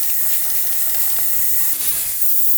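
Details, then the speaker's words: 2000 Honda CR125 two-stroke with a bad bog, engine off during a crankcase pressure test: a steady sharp hiss of escaping air. No head gasket bubbles; the leak was found at the crank seal under the side cover. "I'm not feeling any air from here either all right I took that cover off that's where that leak was right there"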